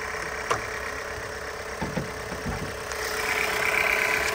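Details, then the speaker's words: 2021 Jeep Renegade four-cylinder, about two years old, at idle: buzzy, raspy note over a steady run, almost like a two-stroke; owner suspects an exhaust leak or normal engine character. "it sounds like maybe an exhaust leak or you hear like a like a raspy kind of noise I don't know if it's just the way the engine is because it's a four-cylinder you hear that buzz that sounds almost like a like a two-stroke sometimes"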